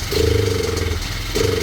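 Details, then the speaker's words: Cheap monkey bike with poor running before carb strip and rejet: idles fine but smokes, revs on light throttle, then sags and dies for about half a second at full throttle; bogging, cause suspected carburetion. "As long as you put very little throttle, it will rev up. But as soon as you put full throttle, it dies."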